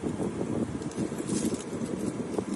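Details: Toyota/Kia/Hyundai-type car driving on an uneven street after replacing the nut found to cause the steering clicking: only wind and road rumble, no clicking from the steering wheel.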